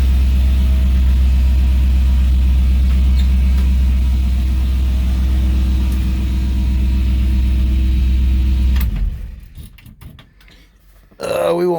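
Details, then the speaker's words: LS-swapped 1964 Impala near the end of a 2.5-year restoration, with a new intake that makes it sound a little different; even rumbling V8 idle, steady lope of about four pulses a second, no knocks or ticks; normal idle. "let's start it up you guys haven't heard it in a while the dash is in yeah it does sound a little different with this intake"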